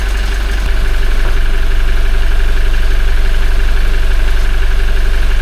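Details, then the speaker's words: Toyota 1GD-FTV diesel, 40,920 km, idling and warming toward 40°C on old Lukoil oil before an oil change: faint, regular crackly timing chain rattle about three per second over the idle, fairly quiet but present. "Есть этот звук, он даже сейчас он прослушивается немного. О, начинается. Вот. Тихий такой достаточно. Но он есть."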